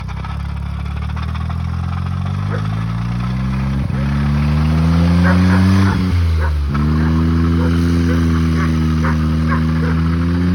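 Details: Small engine in a buggy revving up and down with a light regular knock about four times a second, which is not engine knock but the drive coupling to the gearbox knocking.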